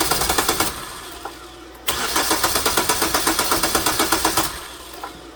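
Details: 2009 Hyundai Sonata crank no-start with decent compression and sandblasted plugs reinstalled; it won't fire even on propane, so cam timing is suspected: even cranking at four beats a second, a pause, then cranking again without firing; exhaust cam was out of time.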